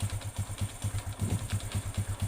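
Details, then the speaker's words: Honda Revo motorcycle engine that ran out of oil, idling roughly with a hard, regular tek-tek-tek clatter when started, before teardown. "Ada suara tek tek tek tek tek tek seperti ini ketika Paki hari dinyalakan nah kurang lebih seperti ini suaranya temanteman"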